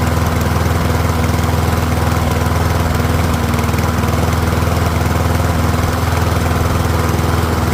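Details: Troy-Bilt rear-wheel-drive mower with Briggs & Stratton engine, after ultrasonic carb clean: steady, even single-cylinder putter at constant speed, no misses, surging or knocks, no smoke; pretty quiet, running healthy for about 5 minutes until fuel runs low.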